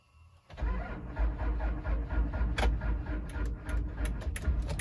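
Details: 3rd-gen Cummins Mega Cab, sitting for months with electrical faults, cranks steadily for several seconds after its TIPM was cleaned and reset but never fires; crank, no start, with a bad TIPM suspected.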